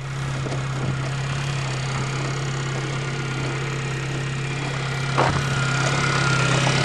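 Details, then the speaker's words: Suzuki Swift first start on a cold November day; steady light idle with a fast, busy sewing-machine clatter over a low hum, running evenly; normal cold idle. "well that sounds like a sewing machine cold day in November"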